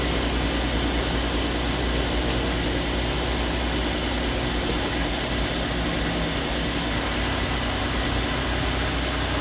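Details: Audi TT 3.2 VR6 idling, shown with a timing chain replacement: steady even idle hum with a smooth low drone and no rattle or tick on top; the VR6 idles cleanly.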